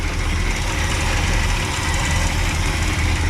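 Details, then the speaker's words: 1967 Pontiac Grand Prix convertible, 400 cu in 350 hp V8 with dual exhaust, first run after years sitting: deep, steady, slightly loping idle, shaking a little, no funny noises or valve noise, no fuel puddle; normal idle. "no funny noises or anything no puddle of fuel on the ground yet"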